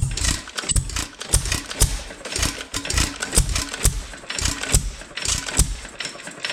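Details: Roughly 100-year-old 2.5HP Alpha DeLaval hit-and-miss engine with Wico EK magneto and original spark plug, once used to run a milking vacuum pump: sharp firing pops in clusters with quiet coasting gaps between, a healthy governed hit-and-miss beat.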